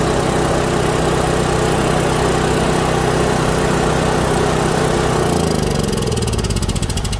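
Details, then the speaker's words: Kohler generator set, four-stroke gasoline engine that would not start because the magneto gave no spark; replaced with a temporary non-original magneto, gap set with a card. Steady, even single-cylinder drone, then winds down smoothly at shutoff. Normal running. "como podemos observar el problema en el magneto no generaba chispa y hemos cambiado este magneto"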